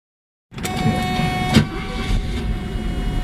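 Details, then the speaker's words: 1980 Mercedes 450SL V8, still cold, after a rough idle was repaired with a rebuilt fuel distributor and three new fuel injectors. An even, smooth idle at about 600 rpm with no misses or stumbles. "Rebuilt fuel distributor and 3 new fuel injectors, and that's how it's running now. It's at 600 and it's smooth, probably smoother as can be."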